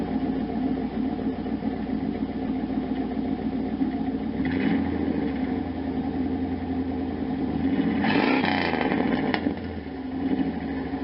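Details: 1992 Camaro Z28 with a stock L98 350 V8 and a Flowmaster Super 10 loosely set in unclamped, headers not yet installed: a rough, uneven idle with a few throttle blips, as exhaust likely leaks at the muffler joint.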